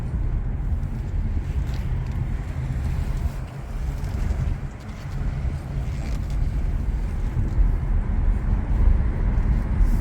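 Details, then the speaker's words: 2019 Chevrolet Bolt LT EV, about 220 miles range, battery healthy, driven at low parking speed: soft, even low rumble of tyres and motor with no knocks, clunks or rattles; suspension and motor sound quiet and healthy. "But listen to the wor of the motor and listen to the suspension as we come down here. No undo noises or any sort of ugliness."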